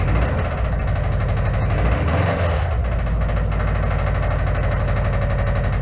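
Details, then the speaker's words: Subaru WRX project engine run on boost charger and jumper cables, revved to about 3,000 rpm: a hard, rapid snapping knock drowning out the engine note. Severe internal knock, cause unknown. "So yeah, as you could hear, that thing is snapping really fucking bad. Like, if I keep on running it, it's probably going to come apart, revving it up like that."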